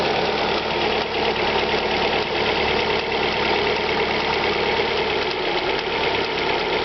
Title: Alfa Romeo 156 1.8 TS ticking engine noise cold start